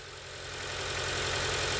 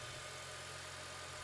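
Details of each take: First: 2006 Acura TSX with check engine light idling roughly with an uneven pulse about four times a second: misfire from a failed ignition coil, which is diagnosed and replaced. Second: 2006 Acura TSX that had a rough idle and check engine light, after replacing a faulty ignition coil: the petrol engine idles at a steady, smooth, even hum with no misses or stumbles.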